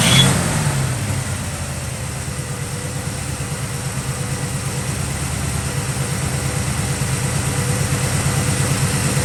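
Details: 1965 Chevrolet Nova wagon V8 idling after the Rochester two-barrel and intake were replaced with a Holley 600cfm four-barrel and Edelbrock aluminum intake. Steady, even lope with no misses, knocks or stumbles. Normal idle. Belt sounds slightly loose.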